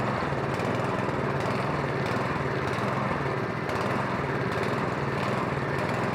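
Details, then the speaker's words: MTD snowblower, stone cold, with fuel in the tank, on a little choke (full choke too much): runs ragged and uneven, hunting as if starved; probably a plugged pilot jet leaving it lean. "Oh, there's fuel in there. It's probably the pilot jet plugged up. Because it requires both to run properly."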